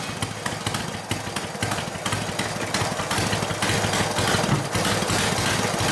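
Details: Harley WL 45ci flathead V-twin, no throttle, hot: loping idle, irregular popping exhaust about two pulses a second; rough idle, owner suspects front exhaust pipe rotated down and fell out; plans clamp and valve adjustment.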